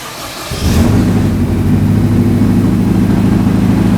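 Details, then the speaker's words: 2005-2021 Nissan Frontier after a new TRQ fuel pump module was installed and primed: short crank, then it catches within half a second and settles into a steady, even idle with no stumble. This is a healthy start. "Once you've done that, try to crank it. It may sputter a little bit or hesitate, but eventually it should clear up."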